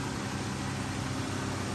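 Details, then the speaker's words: 2012 Chrysler 300 3.6L after replacing lifters and rocker followers, intake and valve cover refitted: smooth, even idle with steady low hum and no top-end ticking; sounds good despite two damaged cams. "All right, let's start it up, see what it sounds like. And that sounds pretty good for two bad cams."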